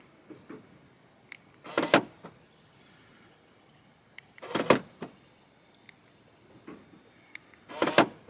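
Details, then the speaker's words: Ford Focus ZX3 SVT central door locks, lock/unlock button press: each lock and unlock gives a drawn-out buzzy whirr of about half a second instead of a crisp click; slow door lock actuation. "I don't know if you can hear that, but like you hear like it doesn't instantly lock and unlock. It doesn't give you that satisfying click, like click."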